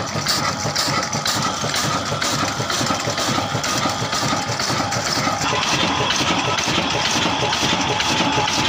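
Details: 22 HP, 275 rpm Kala (Ruston Hornsby-type) old single-cylinder engine in Punjab, Pakistan, hard-starting in cold weather and catching on the third attempt; slow, even thumping at about two beats a second, each firing steady and regular, running cleanly.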